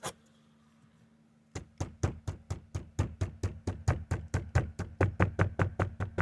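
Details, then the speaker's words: 2019+ Acura RDX dashboard tapped by hand where two trim surfaces meet: quick taps about three a second, each with a short hollow buzzing rattle of loose trim; wedging something into the gap makes it mostly go away. "there you can kind of you can kind of hear it rattling a little bit and if we stick that in there and do it again it kind of goes away"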